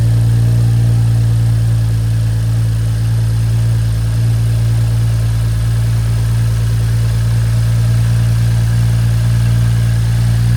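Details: BMW F30 at about 100k miles, just after DIY oil change: steady even idle with a deep constant hum, no knocks or ticks; normal healthy idle.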